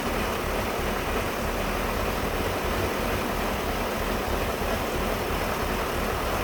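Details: 1999 BMW 540i idling lumpy and uneven, unsteady low beat under constant exhaust rush; rough idle, cause not evident.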